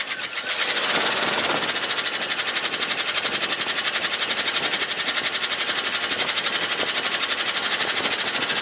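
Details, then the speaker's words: 1971 Ford F250 shop truck: fast, crisp metallic ticking at about four per second at idle, unchanged with the alternator and water pump belt disconnected; apparently not an exhaust leak, seems toward the front, possibly a lifter or valve; cause unconfirmed. "very interesting well I'm not all together sure what the noise is doesn't appear to be an exhaust Loop like I said before I've disconnected the belt for the alternator and the water pump fired it up didn't make any difference so sounds like it's toward the front of the engine could be a lifter valve or something or oth"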